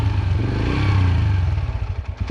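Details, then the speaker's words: Yamaha TT-R125 after about 10 years sitting, warmed up: steady single-cylinder thump at idle with one brief dip, no clatter or knock, running fine while smoking like a chimney. "Well, listen to that baby just sit there and purr and smoke like a chimney."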